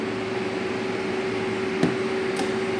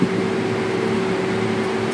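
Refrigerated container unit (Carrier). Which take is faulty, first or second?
first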